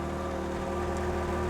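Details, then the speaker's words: Ferrari 355 V8 after a full engine refresh, with a valved Tubi, Larini and Capristo exhaust, idling as the exhaust valves are opened. Volume and burble increase to a steady deep burble with an even beat and no ticks or hunting. Normal idle. "Okay. Suddenly, the volume has increased and so has that burble. It's really hitting you in your chest."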